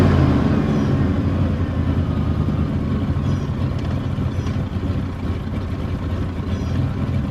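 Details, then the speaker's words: 1978 Ford LTD V8 after starter inspection and replacement, warmed up a couple of minutes with idle kicked down: low, lumpy, irregular loping idle barely keeping itself running; rough idle. "well not the happiest but it is still running technically"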